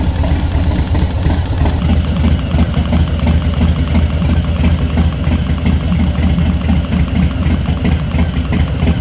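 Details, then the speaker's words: 2019 Harley-Davidson Softail Street Bob V-twin at idle after Screaming Eagle torque cam install: loping beat with fast light sewing-machine tapping from the valvetrain; ticking, cause unconfirmed. "when I've started it up I noticed that there's a little more engine noise coming from the valvetrain sounds like a loud tapping like a sewing machine"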